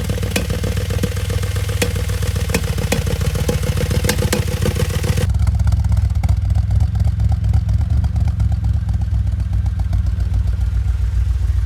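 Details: Audi S5 4.2 V8 FSI naturally aspirated direct-injection, manual, running poorly: lumpy, uneven loping idle with a clattery exhaust note, as if misfiring or down on a cylinder; diagnosed using in-cylinder and intake/exhaust pulse pressure analysis, cause not yet stated.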